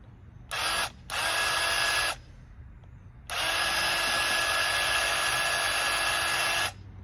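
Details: Bauer 20V airless paint sprayer (Harbor Freight) after purging intake air and priming: steady high buzzing motor-pump hum in even bursts, clean starts and stops, no stutter or surging; normal sprayer pump operation.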